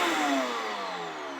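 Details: LG VK69161N vacuum cleaner motor, reassembled after bearing replacement (it had been humming loudly; a dust-clogged impeller can also cause this). Clean high whine easing down in pitch, no hum or grinding; normal running.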